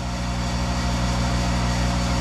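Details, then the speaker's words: Monarch 10EE lathe, 5 hp thyratron vacuum-tube DC variable-speed drive fed by a rotary phase converter, during warm-up after sitting two months: steady low transformer hum, a bit louder than on others but it works. It quiets once warm. Normal hum. "once it warms up the big Transformer uh quiets down and the big Transformer in this one is a little bit more noise there than others I've seen but it works"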